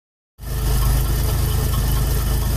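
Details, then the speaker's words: Ford Bronco with 300 engine idling at about 16 in of vacuum: deep thumping petrol idle that intermittently, for no visible reason, drops into an uneven, loping beat, pulling vacuum down to about 12 in. "and every once in a while for no reason that I can see it goes into this weird lope and it pulls it down to about 12 inches of"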